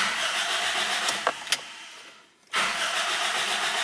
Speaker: when I rotate that key in that way there is the sound this utility and it means the engine is trying to start but no any start and then I need to do my next thing and what is wrong and then I suddenly notice that hey my fuel tank is also empty